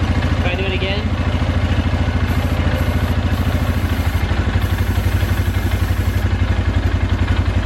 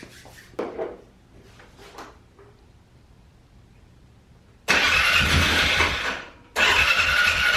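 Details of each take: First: 2012 Polaris Sportsman 400 HO carbureted ATV, single-cylinder idle thump about two per second; beat shifts when intake boot is sprayed, revealing a small vacuum leak at the cracked air-filter-to-carburetor boot; new boot to be ordered. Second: 2012 Polaris Sportsman 400 HO ATV, bought as a non-runner with a gummed-up carb, first start after the idle fix for bogging and dying: brief quiet, then it catches at once and settles to a steady, even idle without stumbling; normal start and idle.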